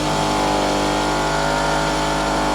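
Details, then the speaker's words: Toyota Celica GT-S, 180 hp, long-sitting auction car just started: steady fast idle with a constant buzzing rattle over the engine note, like something vibrating against the body; owner suspects a motor mount; charging OK. "holy moly everything works on this car it's a little a little noisy she's hitting something and like a little vibrator or something maybe a motor mount"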